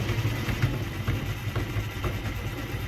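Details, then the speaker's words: Datsun 720 short 5-speed gearbox (fitted to a 510) spun by a drill on the bench, front and rear covers off: low rough rumble with clattering pulse twice a second; countershaft catches at one spot, looks out of round; suspected countershaft bearing noise. "It sounds terrible. It was making that noise with the front cover and the rear cover off. It didn't matter with or without."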